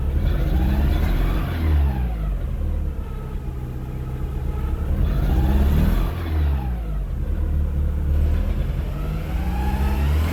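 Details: VW MK4 1.6 SR engine revving up and down: low uneven knocking under the drone that follows engine speed; owner asks whether it is bearing knock; engine knock.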